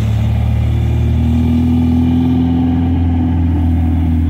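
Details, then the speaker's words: 1972 MGB with SU HIF44 carburettors, previously rough with no power off idle, after adjusting the air-fuel mixture screws and without air filters fitted: engine drone pulls evenly, pitch climbing steadily under acceleration with no stumble; normal acceleration. "you know it's purring it is purring like a kitten"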